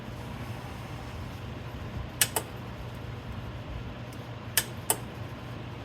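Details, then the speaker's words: 1977 square-body truck AC compressor powered from an adjustable bench supply at about 11-12 V: sharp metallic clicks in two pairs over a low steady hum as the clutch pulls in and releases; the clutch is good. "You hear the clicking, and I see the clutch moving. So the clutch is good."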